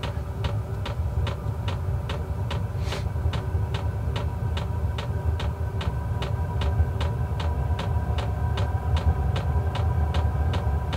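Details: Portable diesel heater starting up at about 45°F outside, heating a Clam X-500 ice tent: low fan rumble with crisp fuel pump clicks about twice a second while priming, ticking fading as it gets going; normal running.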